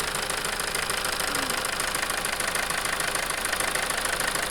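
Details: Toyota 2.2 diesel at idle with rough idle and loss of power: uneven sharp knock about three per second over a rough clatter from a faulty injector, which was replaced.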